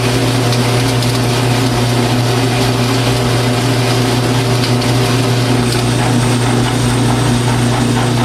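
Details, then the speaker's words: 12-inch Atlas quick-change lathe that had sat largely unused for years: a steady, rough low growl from the gear train while turning stock about 1¾ inch, under load. "but i suppose you can hear it kind of growling in the gears there"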